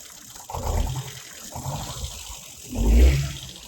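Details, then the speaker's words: Ford Fiesta bought as a mechanical-fault auction car, first start on a battery pack: petrol engine idles roughly with deep, uneven chuffing and lumpy surges, not knocking; misfire later traced via compression checks to a burnt valve. "Well, it's alive. I mean, she's misfiring."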